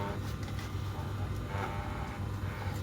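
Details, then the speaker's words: Lathe spinning thin bar stock in the chuck, trued by pressing a bearing against it: ticking as it hits and misses fades to a steady, even hum with no knocking once the stock runs true. "eventually the bearing should just run around nice and smoothly which it's doing now"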